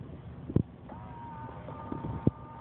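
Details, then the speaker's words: Car's driver power mirror after impound towing, shifting into reverse for curb view: two sharp clicks about two seconds apart with faint motor whir; mirror clicks but no longer returns to position; damage suspected, not confirmed. "you notice you will notice the mirror moving see you hear it clicking now it no longer will go back into where it used to be"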